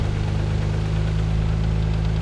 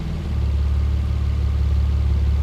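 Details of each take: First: Mazda KL-DE 2.5 V6 swap, warming up in diagnostic mode, idle screw turned a quarter turn per minute, around 1,000 rpm: steady low note with slight rise and fall; idle hunting while computer relearns. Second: Mazda KL-DE 2.5 V6 swap, warm, diagnostic mode disconnected: ECU holds steady idle around 400 rpm within spec; quick blip drops back with slight stumble but no stall. Normal idle.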